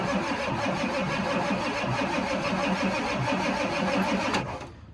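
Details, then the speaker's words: Ford 7.3 IDI diesel truck sitting 11–12 years, first crank: steady rhythmic cranking about four compressions a second, turns over but no firing, no fuel; starting fluid next. "There's no fuel. I got some starting fluid in the hanger. Okay, well, she turned over. That's a good sign."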